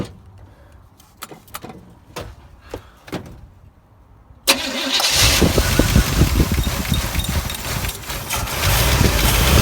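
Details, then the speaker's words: 1986 GMC Jimmy 350 V8 after carburetor work, vacuum leak fixes and cleaning fouled number six plug, compression fine: fires up into slightly uneven lumpy idle with occasional stumble; mild misfire, valve adjustment next. "still still misfires a little bit"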